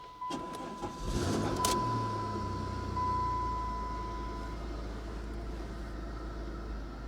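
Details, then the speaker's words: 1987 Chrysler LeBaron, 102,000 miles: starter cranks briefly, engine catches cleanly into a steady even idle with no knocks or misses; normal engine start and idle. "go she's alive and she sounds good she does we have half a tank of gas"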